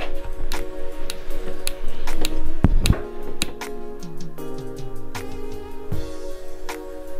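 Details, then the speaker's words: 30-year-old camper-van 3-way fridge, gas on at the bottle after cleaning the burner, terminals and flue: crisp igniter clicks about three a second while the burner lights, switching off automatically once the flame is lit; normal. "so guess on at the bottle igniter on you can hear that clicking the igniter will automatically turn off when the flame is lit down the bottom"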